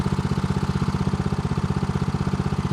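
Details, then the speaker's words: Homemade outboard motor on its first on-water sea trial, at mid throttle: quick, even firing pulses at a steady speed with no misses or knocks; owner calls it the sweet spot, smooth running. "This is a sweet spot. Here it is running really nice."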